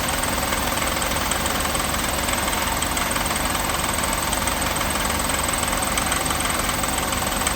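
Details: 1988 Mercedes 560 SEC (W126) V8 idling steadily with a light, somewhat uneven knock about three to four a second; the knocking later got louder and the engine had to be shut off.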